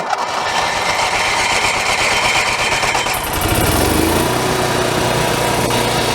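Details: Onan 4000 RV generator after carburetor replacement and governor screw adjustment: loud steady engine drone holding even speed, no surging or cutting out, running unloaded; normal.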